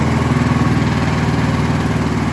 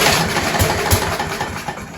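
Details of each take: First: Scott Bonnar mower, Briggs & Stratton Sprint 375 4-stroke, after swapping in a different spark plug: even, steady idle chug about four pulses a second, no misses; healthy, though reluctant to switch off, suspected throttle cable. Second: Scott Bonnar mower, Briggs & Stratton Sprint 375 4-stroke, after fitting a recycled primer bulb, throttle set mid-way (throttle faulty): catches and fires briefly, then fades and dies within two seconds; stalls.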